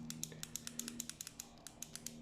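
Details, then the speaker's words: LG microwave that counts time but doesn't heat or hum, door switch being replaced: removed switch with burning pin still gives sharp, crisp clean clicks over faint hum, contacts snapping, unlike a switch from another oven which no longer clicks. "Entonces pues... porque todavía este sí suena, miren."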